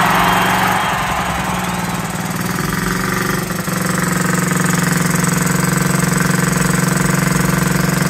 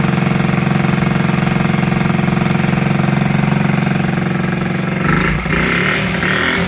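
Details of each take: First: 1969–70 Honda Z50, first start after about 35 years: steady, slightly lumpy idle with a soft burble; running rich, with the carburetor slide needle suspected to be set too high. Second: 1969–70 Honda Z50 small single running for the first time in 35 years, after fork repair, without cleaning the points or carburetor, with idle being adjusted. Even, quick putter of about three beats a second with a brief blip; normal smooth idle.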